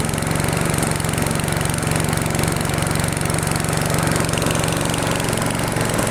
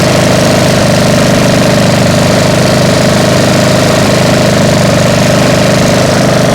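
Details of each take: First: Freshly restored, repainted single-cylinder machine idling after about 20 minutes, paint smoking off: rapid fairly steady putter about four beats a second, drifting a little; mild idle hunting, cause unconfirmed. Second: Freshly restored single-cylinder mower after about 20 minutes running warm: steady even beat with deep hum and occasional faint hunt; healthy, a little loud, owner suspects a slight exhaust leak.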